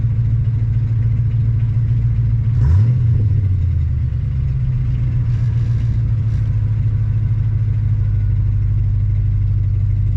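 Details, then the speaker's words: Ford 4.6L/5.0L/3.8L engine that previously idled at about 1500 rpm with an idle air control overspeed error, restarted after installing an IAC restrictor plate: a brief rev flare, then a smooth, steady, normal idle. "okay that sounds a lot better see if it stays there"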